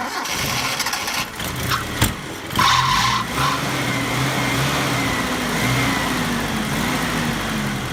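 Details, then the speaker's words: 1989 Mitsubishi Pajero SWB engine started and revved. A brief high squeal rides over the rising engine note. The newly fitted fan belt is slipping, worse once warm, and needs tightening; the A/C pump has been removed. "the fan belt is sleeping especially once it warms up it gets really screechy so we'll tighten it up"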